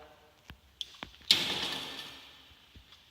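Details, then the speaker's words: High-voltage test system automatic ground stick: light clicks as the ground stick opens, then a solid clunk with short ringing tail as the contactor inside the controls pulls in, switching high voltage on; normal operation. "you see the ground stick open and you can hear the clunk of the contact from inside the controls meaning the high voltage is Switched down"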